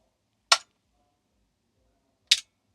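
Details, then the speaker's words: Homemade soft-start circuit for a 1 kVA isolation transformer (NTC thermistor with relay bypass, RC delay meant to be 1 second), mic near the relay: two sharp clicks right after each switch-on; the relay pulls in without the intended delay. "So, I'm going to switch off and switch back on and see if we can hear the relay switch. Yep. Happens quite quickly."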